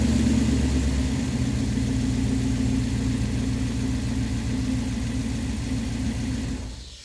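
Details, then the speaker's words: 1997 Dodge Ram 1500 with the 5.9 (360 Magnum) V8, just after harmonic balancer replacement: a deep, even V8 rumble that holds steady, then winds down cleanly with no knocks or wobble. Normal idle and rev. "Oh, we're back. Oh yeah, that is beautiful. Love the way that sounds."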